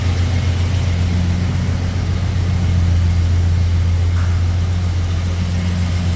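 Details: 1971 Jaguar E-Type fuel-injected V12, first start after a 2-year rebuild, throttle body unadjusted: deep, lumpy idle misfiring because three injectors were unplugged. It ran smoothly afterwards.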